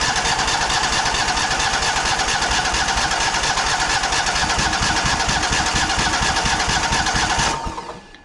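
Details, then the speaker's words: Exmark Pioneer S 52-inch zero-turn mower, model PNS720KC523, with a Kohler KT720 twin-cylinder engine. It cranks steadily without firing during a spark test on one side, and that side's failing ignition coil gives weak spark. The mower runs rough, pops, and bogs down under load. "that is not what I was expecting it's actually not starting on the opposite side"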